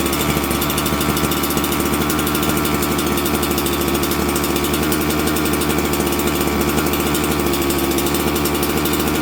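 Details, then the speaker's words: Auction 266XP two-stroke chainsaw with a long-sat carburetor, warmed up and tuned: steady, high-pitched buzz with no surging, stumbling or misfire; tunes well and runs clean. "thing runs pretty good. It tunes beautifully. I'm actually kind of shocked."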